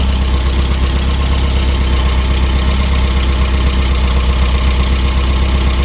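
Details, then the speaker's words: 1988 Porsche 944 race car at first start after sitting for months with a dead battery being charged, left to idle for a few minutes: steady, even low idle with a smooth regular pulse, no knocks or misses; normal idle. "seems to be running pretty good all right so 1988 Porsche 944 Run's good idle's good sounds good"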